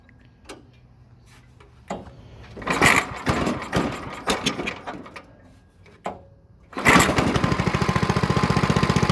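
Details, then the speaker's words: Old Briggs & Stratton/Tecumseh small single-cylinder engine, cold and not run before, on choke with the fuel valve on: some handling clatter, then a pull fires it and it settles into a quick, even putter; normal cold start. "It's cold, hasn't ran. It's guess it'd be a cold start, I guess. And there you have it."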